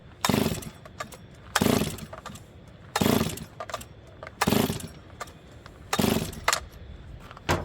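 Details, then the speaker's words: Old Stihl 036 chainsaw with fuel line, filter, spark and good compression; fires on full choke but off choke gives one short burst every 1.5 seconds that dies; stalling off choke, suspected carburetor not pulling fuel, not confirmed. "H we might have to Nerf this one along I'm going to put it back on choke I just want to see what it's doing interesting now this thing might not pull fuel on its own and that'll be a bad carb kit"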